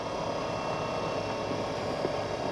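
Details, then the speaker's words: Battery-powered oil extractor pump drawing oil via tube down the dipstick tube of a Mercruiser 8.1L Horizon big block on a 2003 Sea Ray 340 Sundancer: steady even hum with hiss, no surging or knocking, oil flowing through hose; normal pump running. "See how she does. Yeah, there you go. The oil just fed right through the hose,"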